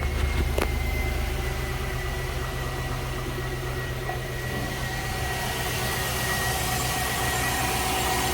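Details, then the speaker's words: Chevy Tahoe, 161,600 miles, towed in for a no-start, after fuel pump replacement and fuel line repair: it catches right after cranking and settles into a steady, even idle with no misfire. Fuel pressure reads 55, judged perfect. "Oh, 55. Yeah, that's perfect. Alright, I'm happy with that."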